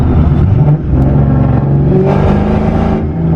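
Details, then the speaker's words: Boosted Mustang GT that seems to run rich and smells of fuel, after coolant got into a coil pack about two days earlier; above half throttle the note turns uneven and stumbling with dips in the drone, missing badly under load. "It's only when I give it more than half throttle, just a little bit more than half throttle, and it just misses like crazy."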